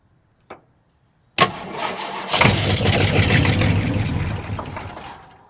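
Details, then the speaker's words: Abandoned 1968 Ford XL Fastback with a 390 big-block and Autolite 4300 carburetor: the starter cranks steadily at about three and a half beats a second but the engine never catches; the owner suspects no fuel is reaching the carburetor yet. "I wonder if it's got any fuel coming up in there yet. Probably ain't cranked enough."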